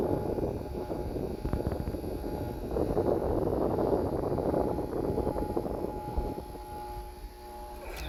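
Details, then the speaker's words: 1989 Carrier window AC, 6,200 BTU, just picked up and tested, cooling well: steady whirring hum over the fan rush; compressor whirring noise, owner suspects the compressor mounts need work. "The compressor mounts might need to be worked on. You can hear it going, make that noise, that whirling sound."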